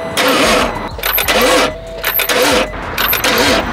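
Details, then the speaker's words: 2012 BMW 640i, bought with a reportedly seized engine, first start attempt on a good battery plus a jumper: repeated one-second cranking bursts with a laboring starter and the engine never catching. The owner wonders whether the starter is dying; unconfirmed. "first startup ah nah nah it sees bro it's getting closer but could it be a dying starter"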